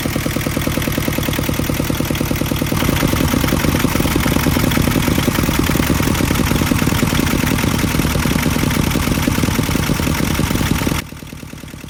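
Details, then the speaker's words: Yanmar 2GM20F diesel in a 1991 Hunter 30 after new raw water pump install fixing a wobbling pulley: steady, even clatter at constant idle, no wobble or rubbing; alternator belt still loose; normal running. "Huge difference, so we don't have the wobble anymore."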